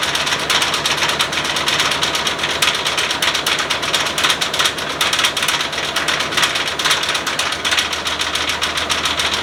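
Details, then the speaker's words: OBS Ford crew cab truck started with a new battery: a rough, clattery idle with harsh, uneven metallic knocking, the engine shaking hard. Owner guesses a spun bearing or rod knock; unconfirmed without teardown. "there's definitely something wrong I don't know what's going on if I had to guess it sounds like it might be spinning a bearing or there's a rod that's knocking"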